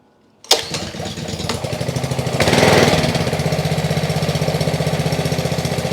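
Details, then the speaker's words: Trash-picked Ryobi RY80940B 3100 psi pressure washer (Jan 2018), Honda GCV190 engine, first pull-start on choke with fuel and oil: fast uneven chuffing idle that won't smooth out; owner suspects carburetion issues, carb to be cleaned. "I think we have some carburation issues"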